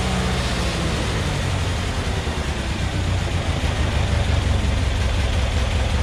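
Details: Massey Ferguson 35 Deluxe tractor after a carb clean and rebuild, unloaded at about 2200 rpm, its maximum recommended speed: deep, steady, even roar with no misfire, surge or knock. Healthy engine at full speed; carb may need adjusting under load.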